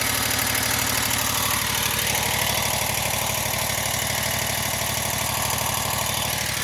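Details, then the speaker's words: 2021 Wright Stander ZK mower, 800 hours, after hydro pulley replacement: engine idles with steady pulse while mid-pitched whir rises over it with blades on; spindles tight, still some whirring, cause unconfirmed. "There's still some sound. Still a whirring of some sort."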